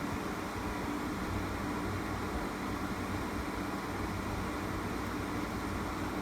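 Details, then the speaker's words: Window air conditioner after the shaking was fixed, compressor running: steady airy fan rush dominates at about 67 dB, with a faint low compressor rumble and no shaking; running normally. "so i mean there's a little bit of vibration i can you know hear it just a low frequency kind of compressor rumble but it um the fan noise is still the dominant noise now"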